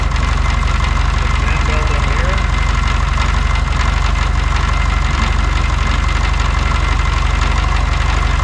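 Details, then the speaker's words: VW Beetle after oil sump/pump cover rework: heavy, lopsided idle stumbling about three times a second, cylinders two and three suspected dead; misfire traced to crank pulley slid on and never tightened. "and I put the I slid the pulley and I'm pretty sure I never tightened it did you oh no oh looky there"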